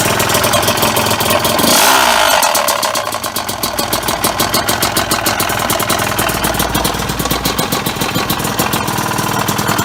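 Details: Honda CR250R two-stroke just after top and bottom end rebuild: crackly idle with rapid, loosely regular top-end knock; owner suspects piston knocking, cause unconfirmed.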